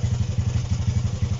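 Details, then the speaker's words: Honda CB125 RS, carburetted, main jet thought to be a 105, running without choke: quick, slightly uneven low thumping at idle with an occasional dropped beat, sounding fuel-starved; owner suspects jetting, cause not confirmed. "can you hear it starving to self a fuel a little bit there"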